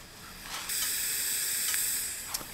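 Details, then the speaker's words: Corvair rear tire, brand new and plugged about four times. A steady, sharp hiss of escaping air starts abruptly and holds for over a second. Tire air leak past the plug. "You can probably hear that leak. Those are two brand new tires on the back of the Corvair on those Epsilons, and I've been too stubborn to buy yet two more brand new tires, and I've plugged this one like 4 times."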